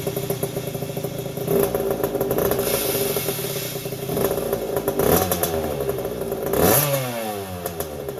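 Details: 1981 Yamaha YZ80H two-stroke, first start after engine overhaul with new seals and top end: high squeal over popping exhaust, changing with revs, quiet with clutch pulled; dry gearbox cog not getting oil, stopped after tipping bike.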